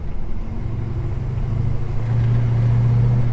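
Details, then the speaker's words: Holden HK V8 on a drive: deep, even burble rising slightly as it pulls away, no misses or knocks; healthy, strong, meaty exhaust note. "Oh, she has the meatiest sound. This thing sounds so good. This thing sounds wonderful."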